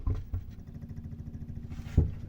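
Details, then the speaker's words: Alde Compact boiler heating fan in a motorhome after repeated bleeding and topping up with fluid to clear a severe airlock: low steady hum with even fast pulsing, no gurgle or rattle; fan now running normally. "you can just hear the fan turn the fan back off there was that much air in the system that that fan was was just running it wasn't doing anything"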